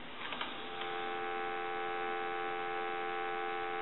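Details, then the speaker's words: Takara French-style rotary desk telephone, dropped, final checks after repair: a few clicks then a steady, clean dial tone with no crackle or hiss; the static heard earlier is gone. "and as you can hear the dial tone is more clear it's not got the static Sensation that you heard earlier"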